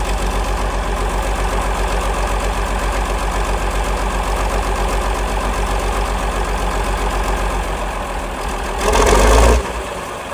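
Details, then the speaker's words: 1947 Cletrac FDE diesel crawler, first start after sitting many years, injection pump freed, fresh fuel; heavy steady diesel clatter at idle, no misses or knocks; shut down soon due to water leak and missing fan belt; normal diesel idle. "There she is, folks. Running like a charm. Have to shut it down here pretty quick cuz I got a good water leak and uh there's no belt."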